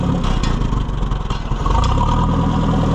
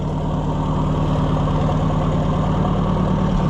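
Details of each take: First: Oliver 550 tractor at a slow, uneven chugging idle during a tune-up, just revived and still burning out carbon after a backfire: the idle pulses and nearly stumbles before steadying. The idle is set too low and risks stalling, so it needs raising. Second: Oliver 550 tractor during tune-up, recently revived: deep, even idle thump about three beats a second with no misses or knocks; running smooth and healthy.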